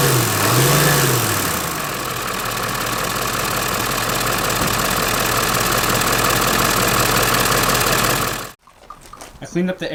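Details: Ford 7.3 diesel van after vacuum pump replacement (it earlier made a weird noise thought to be the serpentine belt): it fires and settles into a steady, even idle clatter with no squeal or knock.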